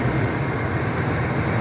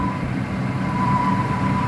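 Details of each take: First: 2001 Ford F-250 5.4L two-valve V8 after replacing a screeching idler pulley (original had 270k miles): idling about five minutes with steady low rumble, no belt screech returning, only injector ticking. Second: 2001 Ford F-250 5.4L two-valve V8 with about 270k miles, at startup idle: a steady high screeching, yowling noise over the rumble, intermittent, from a worn idler pulley bearing.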